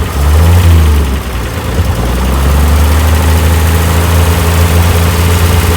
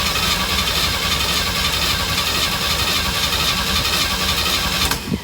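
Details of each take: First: 1965 Chevy van six-cylinder, sitting about 50 years, first run after oil and fuel additives poured in: deep, steady low idle with a slightly loping beat, a little smoke, no knocks or squeals; holding idle fine. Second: 1965 Chevy van, six-cylinder, sitting about 50 years, gas poured into the carburetor bowl, choked: five seconds of steady cranking, never catching; owner suspects flooding.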